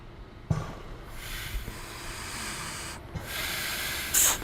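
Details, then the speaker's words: KISS Sidewinder rebreather on a Hollis Katana 2 during step-by-step assembly checks. Two steady hisses of escaping gas, each cutting off cleanly, as the overpressure valve lifts and vents normally. "My overpressure valve is working. You can hear that coming out the other end as well."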